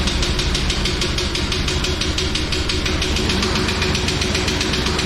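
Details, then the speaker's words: 1999 Chevrolet Tahoe that sat for 14 years, running at 60 psi oil pressure with a little smoke: heavy, rapid metallic knocking on every turn over a rough idle; the engine is blown, while the transmission seems decent. "I know we did find out the engine's blown up but it ran it drove trans transmiss is decent"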